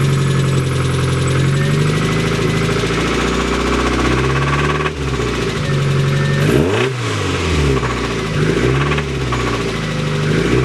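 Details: Mazda Miata at idle with a deep, steady bottom-end knock under the engine note that persists through a couple of light revs. Rod knock is suspected, possibly linked to low oil.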